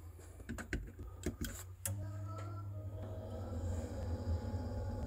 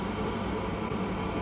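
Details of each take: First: Old Glow Worm Micron 50FF boiler, cover off, intermittently failing to start: after a few clicks the fan starts with a low hum and steady whirring from a worn motor bearing; shaft later freed with WD40. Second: Old Glow Worm Micron 50FF boiler after repair: steady, even fan hum with low drone and soft airy hiss, no squeal or whine; the stiff fan motor shaft was freed with WD40, ending the whirring and intermittent no-start.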